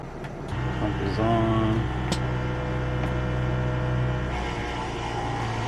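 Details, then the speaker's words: Van sink water pump, switch panel showing 14 volts, little water in tank: steady even low electric hum without surging or rattling, water sputtering at tap from low supply. Pump running normally. "We got Aqua. Let's go. It's sputtering cuz there's not that much water in there, but we did something right."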